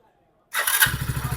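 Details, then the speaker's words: Hero Splendor BS6 new model single-cylinder bike after tappet (valve clearance) adjustment to 0.10 mm intake and exhaust: short crank, then an even, steady thump with no ticking from the top end; the earlier tappet noise is gone. "Finally हमारा bike start हो engine का sound जो है 100% remove हो गया देखिए अब engine से थोड़ा भी झरझर आठ का आठ का नोइज नहीं आ रहा"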